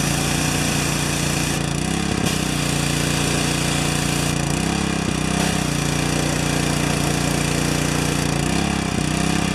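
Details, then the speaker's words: Four-horsepower Briggs & Stratton vertical residential pressure washer damaged by freezing: engine runs loud and steady with brief load dips every few seconds as the pump blows by; the unloader valve is still bypassing. "there should be no leaking when it it's this way and full blast this way right and it's gonna blow through"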